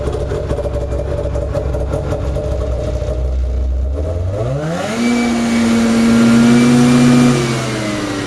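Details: Two-stroke Craftsman DYT4000 jacked up in the garage at full throttle to check for bogging: revs climb smoothly from a low burble to a steady high wail and hold without stumbling. It pulls strong with no bog.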